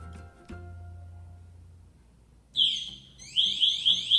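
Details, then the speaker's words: Firefighter's PASS device distress alarm: pressing the red button makes it emit loud, shrill, rising chirps about every half second so the crew can locate and help a downed firefighter. "so if he goes down and he falls down he can push this red button right here and it makes a loud screaming noise so that we know where he's at so we can help him out"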